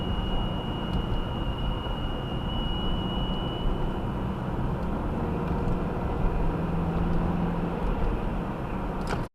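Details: 2018 Subaru Outback 2.5i, 28K miles, cold start near 10°F, first drive, cabin mic: thin high RPM-dependent whine over engine and road rumble, fading; at cold idle and light acceleration, stops off throttle; source unknown.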